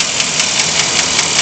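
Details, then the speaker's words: Chevy 454 V8 at operating temperature: a sharp, even tick about five times a second over a bright, hissy running engine. Its source is hard to locate; lifters are suspected. "Okay, here's the ticking"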